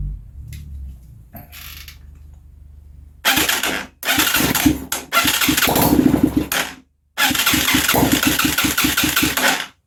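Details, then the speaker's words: Huaniao HN125 Chinese motorcycle, run on starting fluid in the carb and barrel. It catches in ragged bursts, popping and cutting out between them, with rough, sputtering running and no steady fuel supply. "it's going to sound like crap because it has an exhaust pipe on it but i don't care"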